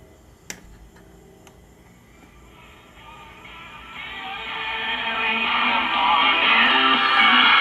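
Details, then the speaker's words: 1949 Motorola 58R11 AA5 tube radio, after replacing the open-filament 50B5 output tube plus filter and wax paper capacitors: sound swells in as the tubes warm, then a station plays clear and steady with no hum or buzz; healthy set. "well we got nice clear audio"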